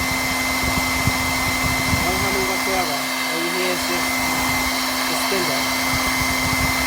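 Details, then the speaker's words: R8 spindle with retrimmed shank and added 35mm shank support, microphone close, run up to full speed of 18,000 RPM: humming rises mid-range then disappears; steady high-pitched whir at maximum, no hum or wobble; normal running at full speed. "as you can see now go faster there is no humming and then the humming starts picking up and then it goes away after it reaches the maximum speed"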